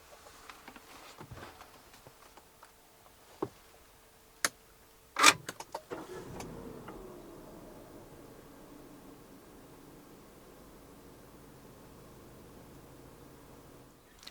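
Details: 2021 Peugeot 3008 1.6 THP (EP6CDT turbo petrol, 165 hp, 6-speed automatic) started with door closed, heard from inside: after a door thud it catches quickly and settles into a quiet, even, smooth idle; normal cold start and idle.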